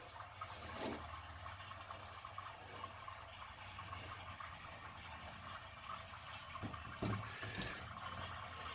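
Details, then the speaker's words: Water heater refilling after its leaking supply-line faucet was replaced with a ball valve using SharkBite fittings: quiet rushing of water with no hiss or spray. No leak yet, though not yet under pressure; normal filling. "Well, it's flowing. Doesn't seem to have a leak yet. Not under pressure yet either."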